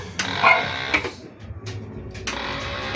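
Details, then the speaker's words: Keeway K-Blade 125 Euro motorcycle, battery strong (lights, horn, signals work): each push-start press gives only a short buzzing click, engine and starter never turn over; starter no-crank. "Yan, kung naririnig nyo yung tunog na yun, yan lang yung nangyayari sa kanya pag nagpo-push start."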